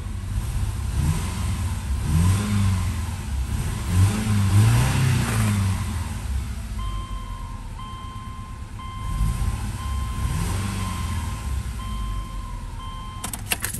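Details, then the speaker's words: Subaru Outback after catastrophic engine failure and rebuild, new fuel pump fitted, first start without cooling system, oil burning off exhaust: uneven idle with occasional skipped beat and stumble; slight misfire, cause unclear. "oh thank God it runs it's got a little skip in"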